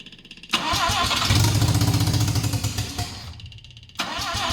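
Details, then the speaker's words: Mazda 12A rotary from a barn-find RX7 that sat for years, with the choke zip-tied partly open: it fires and revs roughly about three seconds, sags and dies, running only on sprayed starting fluid despite fuel in the carb; carb fault suspected. "so yeah I don't know what the uh what the deal is um because it should run because there's fuel in the Carby but it's uh it's not like um it only runs when I'm spraying the starting bastard in there"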